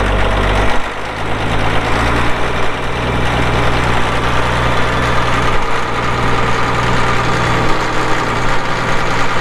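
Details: 1980 Caterpillar D6D bulldozer, 140 HP diesel, 9,255 hours, PowerShift: low steady diesel rumble settling quickly into an even idle with no misses, knocks or hunting; normal idle.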